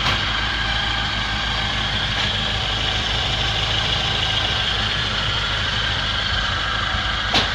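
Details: Ford Transit 2.0 OHC running on gas after engine rebuild, Ford Sierra pistons raising compression to about 10–10.5: steady even idle, smooth low rumble, no knocks or misses; healthy and settled.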